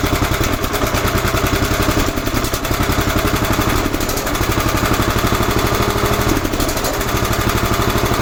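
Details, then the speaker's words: 11 hp Honda single on an Emglo air compressor, after a carburetor and air cleaner box replacement and mixture tuning. Even beat with no misses, holding speed while pumping the two long tanks: running clean under load. "Let's try that again. That's how long it takes to get the air pumped up on that. There's two long tanks underneath."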